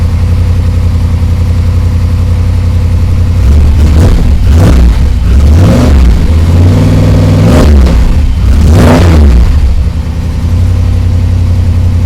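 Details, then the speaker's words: Ford Ranger rock crawler truggy first start with new Magnaflow exhaust: catches quickly, settles to deep even idle, revs cleanly twice and drops back smoothly, fires right up and runs good; normal start and revving. "very happy it's uh fires right up runs good sounds good"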